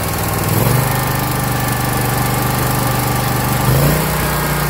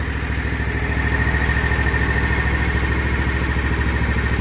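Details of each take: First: 2021 Scag Patriot mower with Kawasaki FX691V V-twin, 80.6 hours, before valve adjustment: steady running stepping up in speed with a light ticking from under the valve cover; cylinder 1 intake valve was loose at 0.010 in (spec 0.004–0.006 in cold); valve tick from excessive valve lash. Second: Kawasaki FX691V twin on a 2021 Scag Patriot with 80.6 hours, after valve adjustment: cylinder 1 intake was loose at .010 and was set to 0.004–0.006 in cold, with a new valve cover gasket. Smooth, even idle, top-end tick gone.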